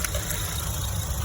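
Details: 2013 Nissan Rogue 2.5 at idle: uneven stumbling beat from a misfire on cylinder 4, where the scope shows a weak or no signal to coil 4 versus coil 3; a faulty ECM was rebuilt to fix it.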